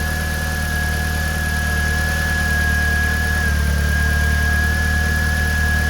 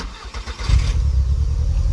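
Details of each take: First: 2000 VW Golf Mk4 GTI 1.8T AGU turbo petrol idling steadily and evenly with a faint high whine over low hum. Normal idle after replacing the failed ignition amplifier that had caused a severe misfire. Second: 2000 VW Golf Mk4 GTI 1.8T AGU petrol at idle: lumpy, uneven low beat, severe misfire with engine shaking and fuel smell, traced to a failed ignition amplifier on the airbox, before replacement.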